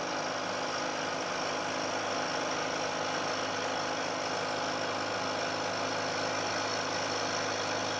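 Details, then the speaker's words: Milling cut of roughly equal depth to the previous one, with the workpiece plate damped by sliding against stacked plates on either side: a steady, even cutting hiss with no chatter, much quieter especially toward the end of the part, and a better surface finish. "i'm taking a cut this time of roughly equal depth to the cut i took before you'll hear that there's a very big difference in the noise produced especially as the cutter gets out towards the end of the part"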